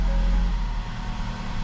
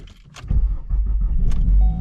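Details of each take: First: 2012–2018 Ford Focus at idle after replacing a bad motor mount and broken bolt that had vibrated the whole car; low steady hum, no vibration or rattling, though a slight rough idle/hesitation remains (owner suspects dirty fuel or sensors); normal idle. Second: 2012-2018 Ford Focus at idle after startup: a heavy, low shaking drone, a horrible vibration. Clutch and flywheel were checked and ruled out; owner doubts the axle and suspects the motor mounts.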